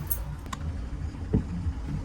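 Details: Healthy clutch on a Citroen Relay diesel van for comparison: even low diesel rumble with only a few light clicks, no rattle or chatter from the bellhousing, unlike the noisy clutch symptom on the other van.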